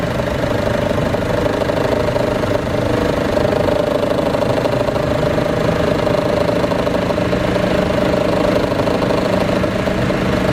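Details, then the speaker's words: Chevrolet Cruze at idle with the A/C on: a rough, steady growl with a droning mid tone from under the exhaust manifold, gone once driving. It persists despite a recently replaced A/C compressor and inspected exhaust clamps; cause unknown. "When you turn the AC on, there's a growling noise, and that's only at idle, and then when I take off it's gone. But that's with only with the AC on."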